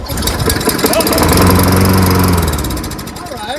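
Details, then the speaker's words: Toro Recycler 22-inch front self-propelled mower, Tecumseh engine and carburetor with primer bulb, air filter off and ether sprayed in intake: catches and runs rough about a second then dies; dirty carburetor. "that's what it does it shuts off soon as it kicks on it shut off you have a dirty carburetor that's all"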